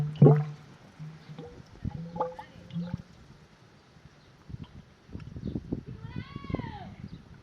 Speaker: शेतातून पाणी घरी येत आहे. पाण्याचा आवाज ऐका. आहे पाणी आलं.